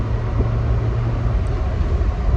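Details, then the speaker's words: Dodge/Mitsubishi-engined truck with a Weber 32/36 carb swap, after a DIY transmission TV cable linkage fix: steady low engine drone with road rumble as it upshifts into third once the throttle lifts, no flare, clunk or slip; the shift is smooth. "As soon as I let off the throttle, it shifts up into third. I think we got it just about perfect."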